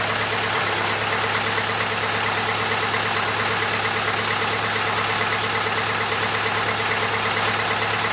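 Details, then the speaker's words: Massey Ferguson 35 (835) tractor, Standard 23C diesel, run after sitting at least a year: steady, even idle clatter of about three beats a second with no misses; a bit of blow-by for its age, normal smooth idle. "so it runs runs pretty well there is a bit of blow-by can be expected of engine of this age"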